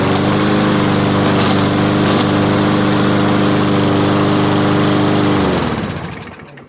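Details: Toro 163cc Briggs & Stratton front-wheel-drive mower left with fuel over winter, after repair: small single-cylinder holds a steady, even high-speed buzz about five seconds, then winds down cleanly at shutoff; runs healthy.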